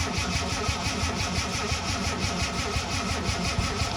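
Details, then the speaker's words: Ford Capri Mk3 Ghia 3.0 barn find, unrun about 20 years, heard from the rear: starter turns engine sluggishly and unevenly, about three turns a second, without firing; battery struggling, owner suspects lack of voltage. "You can hear the battery starting to struggle, and it's not cranking the engine so speed as it was. So I had the theory that it was a bit of a lack of voltage."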